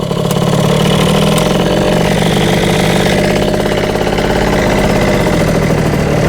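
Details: Yamaha Jog CE50 70cc two-stroke on stand with choke on, after jetting changes (104 main, 40 pilot): loud, uneven, hangs and wavers instead of settling; bogs when ridden, owner suspected lean.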